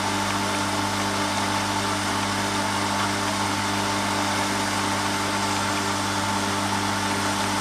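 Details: ECP Group borehole pressure set (pumpstat) with pressure vessel, pre-pressurised to about 4 bar, isolation valve opened to draw water: steady even motor hum, constant tone, no knocks or surging; pump running normally.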